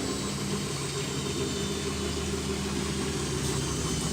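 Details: Samsung washing machine after major overhaul, knocking fixed: smooth steady motor hum through the spin with no knocking or thumping; the drum runs quietly and evenly.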